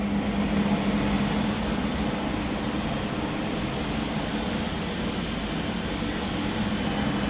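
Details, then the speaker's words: Ariston box kitchen hood run before cleaning, with heavy grease in the filters and tray; steady, even fan rush with a low steady hum and no rattles, scraping or wobble; the hood still runs normally. "হুটটা এখনো ঠিকভাবেই চলছে"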